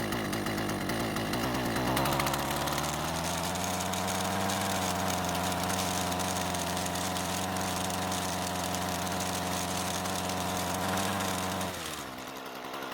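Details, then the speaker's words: Husqvarna string trimmer fitted with an aftermarket carb: small two-stroke starts, idles, climbs cleanly to a steady high scream at wide open throttle and drops back without stumbling; runs properly out of the box. "because it started the way it was supposed to revved from idle perfectly and sounds fantastic at wide open throttle"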